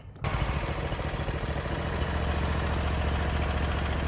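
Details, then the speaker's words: Briggs & Stratton Vanguard engine on a Vermeer SC362 stump cutter after push rod replacement and valve lash adjustment, warm restart: starts at once, smooth even low idle, no ticking or knocking; healthy. "It's warmed up, ready to go, and starts right back up. No problem, no issues. Engine sounds very, very smooth all across."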